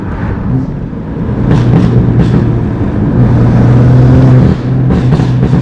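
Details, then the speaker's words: BMW F80 M3 twin-turbo, rebuilt after fire damage, driving with downshifts: strong revs rise and drop with crisp turbo rush and pops, pulls cleanly; normal engine running. "You can really hear the turbos. It is pretty sick."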